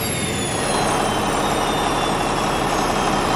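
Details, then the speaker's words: 1964 Caterpillar D8H bulldozer that sat 15–20 years: at shutdown, a high whistle slides steadily lower over the winding-down diesel rumble. The turbocharger is definitely faulty, as suspected at the first start. "as I hope you could hear whenever we shut it down though there's definitely some issues with our turbo"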